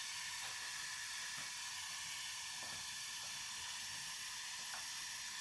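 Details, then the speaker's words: Central-heating radiator, half cold, being bled with a key: steady soft airy hiss as trapped air still escapes from the bleed valve before black water comes out. "Evet hala havası çıkmakta"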